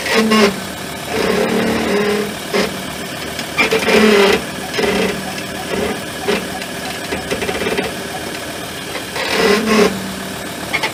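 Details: Ford Endeavour (Everest) creeping in stop-and-go traffic: an intermittent groan around 200 and 450 Hz from rear brake pads ending 2200E, starting after pad replacement. It was solved with pads ending V200C.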